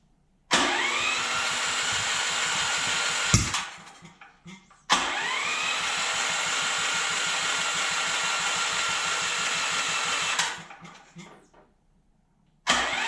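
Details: Dewalt generator small engine after valve lash set (intake 0.004 in, exhaust 0.006 in): catches and runs a few seconds with a rough, hollow note, then dies twice; intake backfire later traced to a severely warped intake valve.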